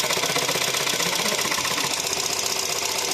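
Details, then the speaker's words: VW Caddy 1.2 TSI, poorly maintained oil, restart after oil priming: sharp even tapping about four ticks a second at idle, hydraulic lifters not yet filled with oil; cold knocks usually fade after a minute or so. "Пускай топ по проводам. Давай. Ух ты. Ну давай ещё. >> Громковато. Ну ждём."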